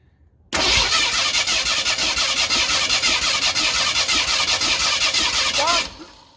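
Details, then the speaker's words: 1991 Mustang GT V8, compression test on one bank, plugs out: steady starter cranking with gauge hiss; cylinder three, fuel soaked, reads under half the 120 of cylinders one and two. "well that's not surprising it's about half less than half of the others disappointing but not surprising news from cylinder number three"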